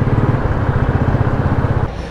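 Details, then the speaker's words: Motorcycle, hot after about 25 km ride in summer heat: even, rounded single-cylinder idle thump with no ticking over the top; valve train quiet, normal warm idle with no tappet tick. "तो दोस्तो bike चल चुकी है almost 25 kilometre मतलब 24 कुछ चली है और बाइक की साउंड सुनो बिल्कुल शांत है कोई साउंड नहीं है बाइक में इतनी चलाने के बाद"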